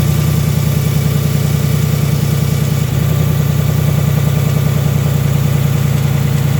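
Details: Brand-new 2018 Ford Mustang GT, gen 3 Coyote V8, on dealer lot: steady idle with a faint fast light tick; believed to be a normal Coyote noise, cause not pinned down.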